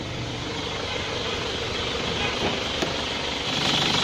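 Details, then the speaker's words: Isuzu Panther engine at settled idle with AC switched on: a light chirping tick about four a second comes from the fan, not a compressor growl. The compressor is normal, and a temporary fix at the fan silenced it. "ada suara cecak ya tapi ya jadi suara segini bukan suara ngorok kompresor AC tapinya darahnya di kipasnya di saja itu kita ngilanginnya ya"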